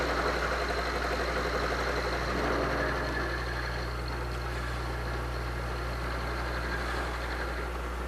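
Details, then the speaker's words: Milling machine with a dividing head cutting the sixth and last flat on a hex nut. Steady spindle hum with an even cutting hiss holding pitch, no chatter or squeal. Normal end mill cutting. "okay there we go that was our sixth flat on the hex nut"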